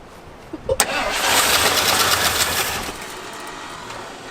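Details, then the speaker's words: Abandoned 1977 Ford plow truck with Duraspark ignition, first start attempts: a few clicks, then cranks and briefly roars before fading out without idling; owners suspect it needs more fuel, not confirmed. "Yeah, it sounds like she needs some more fuel. Come on. Not want to idle for me."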